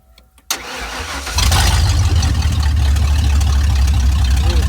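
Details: 1992 Ford F-150 XLT after throttle position sensor (TPS) replacement for hard or no-start issues, TPS set to 4.2–5 V: short crank, then it catches cleanly and settles into a steady, even idle with no misses or knocks; normal start.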